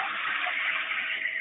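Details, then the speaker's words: Automated 3D-print resin removal wash unit running normally: submerged detergent vortex driven by jets plus ultrasonic cavitation, heard as an even swirling hiss with a faint high ultrasonic buzz, during a 10-minute cycle. "we have jets that move the fluid in a circular pattern you can probably hear that some of the books of vibrations of that ultrasonic energy as well"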